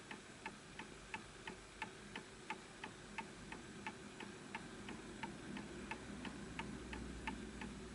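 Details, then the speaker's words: Antique Enfield Westminster chime mantle clock after pendulum adjusted to a flat surface: crisp, evenly spaced ticks about three per second with no limp. Clock is in beat. "So that sounds absolutely perfect to me, and it's matching the level that it's on."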